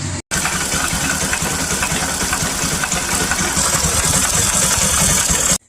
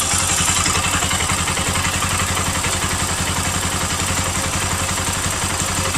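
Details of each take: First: Bajaj Pulsar NS200 with a strange engine noise that persisted after replacing the stator coil: busy, rattly top-end clatter over the idle beat. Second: Bajaj Pulsar NS200 after repair, coolant-leaking gaskets replaced: steady even idle thump around three to four beats per second, former strange metallic sound gone, no coolant from exhaust; normal idle.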